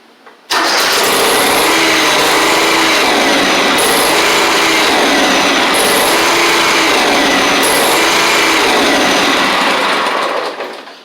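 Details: John Deere 345 mower with liquid-cooled Kawasaki engine: loud, steady starter cranking with faint uneven pulses, never catches. It suddenly lost spark after running 20–30 minutes; the time delay module and its wiring are suspected, and vapor lock is also noted.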